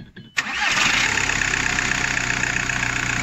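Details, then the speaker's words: VW Golf 4 diesel after rerouting and securing a chafed wire that was touching metal and causing cutting-out/vibration: quick crank, clean catch, steady even diesel idle; normal start and idle. "دابا درناها هنا وقادينا الخيط، ها هي دابا راه خدامه مزيان، حيت هي كيما قلنا كتخدم في التسكات."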